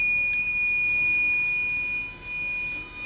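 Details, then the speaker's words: Microtek inverter on the bench: a steady, continuous high-pitched beep, a false overload alarm with the on/off switch not working. The fault is traced to the controller IC area around pins 27 and 28 and is not yet solved. "अभी भी यह fault solve नहीं हुआ है यहां पर दिखा the यह देखिए तुरंत बीप आ गया"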